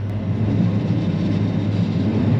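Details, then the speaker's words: Harvester vertical unload auger after dealer repaired its gearbox for worn-out bearings: steady low rumble and even churn, no grinding or bearing howl; much quieter than before repair. "So much more quiet. You do not get that horrible noise that they make. Still not the most quiet thing, but it's a lot better than what it was."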